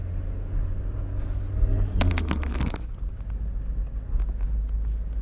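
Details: High chirp about twice a second while rolling, keeping time with wheel speed and stopping when braking; worn brake pad wear-indicator squeak, fixed by replacing the brake pads.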